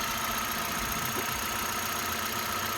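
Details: 2015 Hyundai Accent after a hard-starting fault traced to a component drawing power from the wrong source, now rewired to the fuse box: steady, even engine hum with no misses; starts and settles into a smooth, healthy idle.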